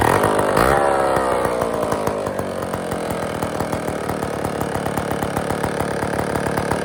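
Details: IEL Pioneer HM chainsaw after new fuel lines in the tank, new gaskets and tightened carburetor screws: a quick blip, then a steady, even buzzing two-stroke idle with no stumbling; it runs properly.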